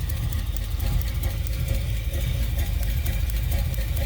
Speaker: wow look at that it's arcing all the way to the wall that's crazy dude wow that investment wow that is riding lightning right there